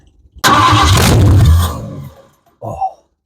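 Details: 1973 Ford Mustang convertible 302 V8 on an electric fuel pump with no exhaust, just straight manifolds: cranks, catches and roars loud for about a second and a half, then dies. Otherwise a clean first start.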